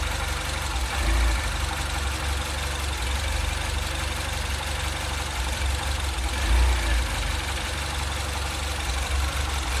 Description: Engine idle surge problem - in 2008 Mini Cooper S (N14).